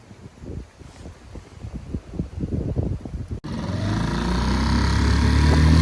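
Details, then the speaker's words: West Marine PRU-3 inflatable with Tohatsu 3.5 outboard after swapping factory plastic prop for aluminium prop, previously surging/ventilating when planing: steady drone climbing smoothly at full throttle, no hunting or surging, about 8.3 knots; normal running. "so it's a dramatic improvement it's fine now"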